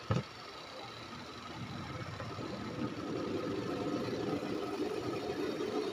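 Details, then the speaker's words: Panasonic twin-tub washing machine spin dryer after removing cloth caught on the tub shaft: it winds up to a steady, even hum with no clattering. Normal spin cycle. "wala ng ingay ah umuugong na lang siya sa sobrang bilis ng ano ng ano niya ng ikot pero wala kaang marinig na ingay nak kalampag ng katulad ng dati"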